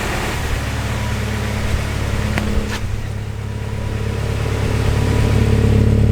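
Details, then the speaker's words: H22A swap in a Honda Civic on first start: a raised, slightly uneven, hunting idle; the fast idle is to be removed and cleaned. "but it still sounds like it's idling high so I am gonna take off the fast idle give it a clean"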